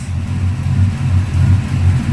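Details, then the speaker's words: LS-swapped 2004 Dodge Ram on second start-up, idling after first start was hesitant with a surge; low steady even rumble with no surge or stumble, idling smoothly, owner thinks it is learning fuel trims; exhaust tick also present. "she's running really smooth right now. Maybe it just needs to, like I said, learn its fuel trims and whatnot."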